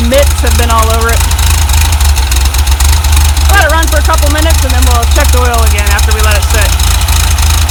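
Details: 1967 VW double cab air-cooled flat-four, run after a distributor O-ring oil-leak repair: steady low rumble with even firing, no misses or stumbles, under loud music; normal idle.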